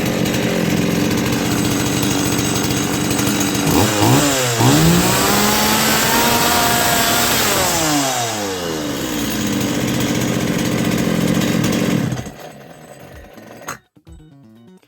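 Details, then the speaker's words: 2003 Stihl 180 chainsaw after carburetor repair, new intake pipe and seals: crisp steady idle, then a clean rev up and down before shutting off, no stumbling or bogging; runs properly after the earlier stalling under throttle. "штильок працює справно"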